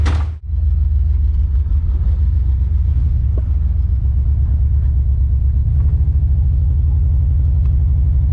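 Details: Car on its first test drive: a deep rumble with an uneven, stumbling beat. It is skipping, a returning misfire the owner thinks is probably the spark plug wire.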